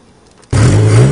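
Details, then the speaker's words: 1961 Ford Anglia revived after being retired in a field, fed from a temporary gas can in the trunk with no coolant in the block, bursts in and settles to a full, steady, even low rumble with no knocks or misses: normal running. "well we got our running all by itself now on the on the red that gas tank still no water in the engine block but it sounds amazing"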